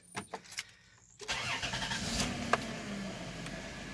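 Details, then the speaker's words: 1996 Chrysler Town & Country, 3.8 V6 automatic, 225,000 miles, started after replacing a bad ignition coil (codes P0352, P0353): short crank, catches, settles into an even idle with no stumble; faint bearing noise suspected from the water pump. "are not sounds healthy other than that little bitty barring noise and here dynastic the water pumps want that on this vehicle can't really see it though that's what that noise is"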